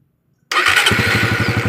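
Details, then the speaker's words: Suzuki Satria FU after the starter motor (dinamo starter) was refitted: the starter catches and the engine fires straight into a steady, even idle with no clicking. The earlier tek-tek starter fault was traced to the starter motor, not the switch or bendix. "kalian bisa lihat dan kalian dengarkan motor sudah nyala pada saat saya tekan tombol starnya berarti penyakitnya ada di bagian dinamo starter guys bukan dari switch atau bendingnya"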